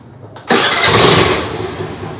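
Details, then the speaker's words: Hero Honda Activa scooter restarted after fixing the self-starter: one push fires it immediately into a smooth, even idle; the earlier loud grinding at starting, caused by a bent crankshaft-side starter drive, is now controlled without splitting the engine. "இல்லை நான் மறுபடியும் of பண்ணி start பண்ணுறேன். இது நார்மலாக ஒரு ஆக்டிவாக start ஆகிற சவுண்டு தான் இது."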